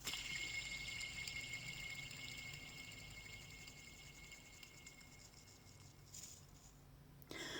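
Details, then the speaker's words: Original idler pulley from a 1994 Mazda RX-7 (FD), spun by hand off the car: gritty, rattling whir that slowly fades and feels coarse, worn bearings; on the engine it may cause chattering or marble-like noise near the drive belt. "when you spin the pulley you will hear a bunch of noise allow me to demonstrate"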